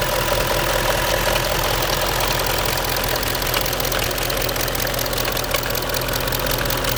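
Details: Audi A8 4.2 TDI diesel at idle: fairly regular knock about two to three per second above the diesel clatter, from the right rear part of the engine; knock of unknown origin.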